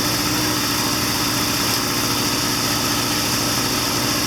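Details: 1979 Triumph Bonneville T140D Special twin, after clutch repair, idling with clutch in, third gear selected, front brake on: steady beat with mechanical chatter, no stumbling or misfire; normal idle.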